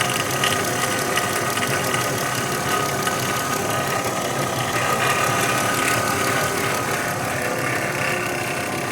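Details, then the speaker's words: 2016 Dodge Grand Caravan 3.6L at idle: fast, uneven metallic ticking and rattle, about three per second; owner suspects timing chain or variable cam gear (phaser), not pulley, alternator bearing or accessory belt; not yet checked. "para mí no suena como un como una polea o como el balero del alternador suena más como el el en grande variable suena como la cadena de tiempo"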